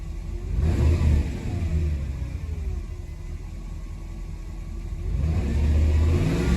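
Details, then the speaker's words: Mercedes W124 E420, M119 4.2 V8, revs rise and sag with a shaky, lumpy rumble, shaking moments before. Owner is unsure and plans to check the other distributor cap for moisture after sitting. Rough running with surging revs. "guys I don't know oh it's starting something it was just shaking there a second ago"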